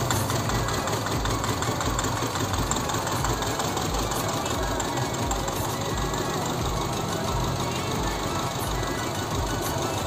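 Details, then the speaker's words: Honda Civic VTi-S, long unused, idling roughly with an uneven, stumbling low thump and heavy shaking; misfire at idle from rat-chewed injector and idle-up wiring, engine limping, lacking power, sometimes stalling. "Nah, jadi seperti itu. Terlihat ya, bergetar parah. Parah kan? Parah."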